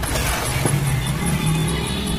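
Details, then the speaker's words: 14-inch Onida slim CRT TV stuck in standby: faint high-pitched ticks repeat steadily, about five a second. "इसमें जो है टिक टिक की आवाज़ आ रही है।"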